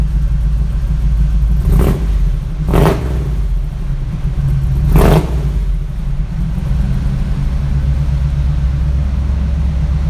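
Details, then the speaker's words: Chevy K10 V8 truck with newly installed MagnaFlow exhaust: deep even idle rumble then three quick clean throttle blips, mellow exhaust, no rattles; idles nicely and comes to life when revved. "So it's idling nicely. Okay, it seems like a nice little V8, but when you put your foot in it, it just comes to life."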